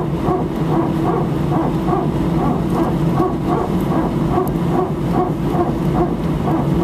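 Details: Air France A319 taxiing at Sofia before take-off to Paris, recorded from cabin seat 18F. Steady barking pulses about every 0.6 seconds over the taxi rumble, a repeating hydraulic-type bark of unknown cause.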